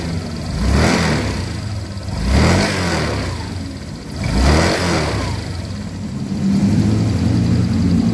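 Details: Honda Vario 150 after replacing the worn CVT block bearing that caused CVT noise: three throttle blips, whir rising and falling smoothly with revs, no grinding or rattle; CVT healthy.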